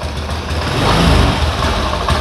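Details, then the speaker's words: Honda Beat eSP fuel-injected scooter, probably a 2019, with a recharged, previously flat battery: the engine catches and revs briefly, then sputters and sags unevenly and dies instead of idling; stalling after start. "cuman memang hidupnya cepat ya tapi itu langsung mati dia setan lagi tuh"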